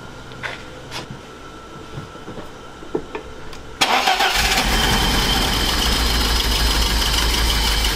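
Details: BMW E30 318i with M40 engine running on three cylinders after a new distributor rotor and cap are fitted: a few seconds of ticking, then it fires into a rough, lumpy idle. A defective plug wire is suspected, not confirmed.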